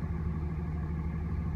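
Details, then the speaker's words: 2007 Dodge 2500 5.9L 24V Cummins diesel, injector kill test: idle turns low and lumpy with an uneven beat when injector six is disabled, so injector six is working; injector five showed no change and has failed. "You can hear a difference and you can watch the graph change. So that means injector number six is working."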